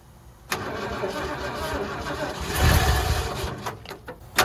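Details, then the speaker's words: 1979 Ford F100, sat ten years, run on temporary fuel line with jumper battery: cranks, catches, swells up, then low lumpy idle with sag, only running with choke almost fully on; cause not confirmed. "running and idling but I have my choke all the way on practically so um yeah that's not super cool but at least there's running and idling"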